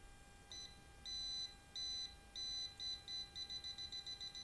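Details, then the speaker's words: Non-contact voltage detector traced along a well water pump cable while hunting for a break. Beeps start slow, then quicken to about three per second along the cable, showing the wire is still live at this point. "Hai sampai di sini kita masih mendapatkan arus ya"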